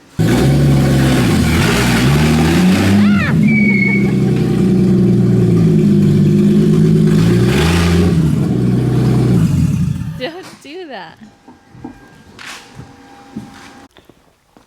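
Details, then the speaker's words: 1999 BMW E46 328i bought cheap as a budget drift car: loud, raspy blat on each rev that drops away when the throttle closes, from a big exhaust leak somewhere in the system; carrier bearing also appears to have failed. "and then it's got a big old exhaust leak somewhere it doesn't sound that nice"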